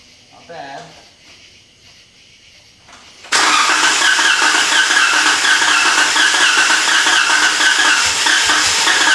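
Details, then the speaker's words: Jeep with cylinder 3 misfire, after new aluminum lower intake manifold; fuel pump primed five times, then starts and runs loud with uneven stumble about three beats a second; misfire persists. "Cross your fingers, boys. It's not good."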